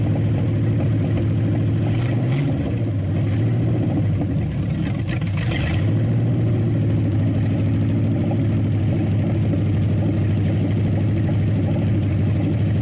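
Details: Packard 374 cu in V8, warmed up after oil burned off the hot exhaust manifold: strong, steady rumble picking up quickly on a couple of blips and settling back smoothly; shuts off fast, suggesting little cylinder wear and good compression.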